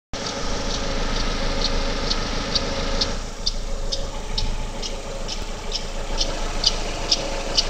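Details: GM Daewoo Lacetti 1.5L F15D3 E-TEC II DOHC inline-4 at cold idle: light sharp ticks about twice a second in time with the engine, loudest between exhaust cam pulley and power steering pump; gone after 15–20 minutes running.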